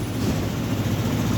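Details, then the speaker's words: Volta RM5X 160cc scooter after variator service with a standard variator and India-made Powerlink belt. It makes a steady, even low drone with no belt squeal or chirp; it responds well, normal running. "biz normal varyatörü yaptık motor gayet iyi tepki verdi sıkıntısı yok"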